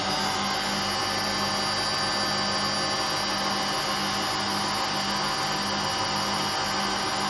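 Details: Hotpoint Aquarius WMA58 washing machine: steady, even roar with a constant hum and no rhythm or let-up, from worn motor bearings and worn drum bearings.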